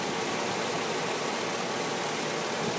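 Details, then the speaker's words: 2006 Chevrolet Silverado 4x4, engine running under the hood on a roughly 105°F day in Tucson, original battery: steady, even hiss-heavy idle, no knocks, ticks or misses; runs quiet, sounds healthy. "Sounds great. There's your core support."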